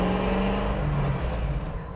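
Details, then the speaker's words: 1981 Chevrolet Suburban 350 small block with new AFR heads and cam: deep rumbling V8 easing down from a blip, even and clean with no miss or tick, a little more aggressive but not too loud; normal running. "it sounds like a little more aggressive but it's not it's not like too loud you know like it's still like just kind of a chill road trip truck"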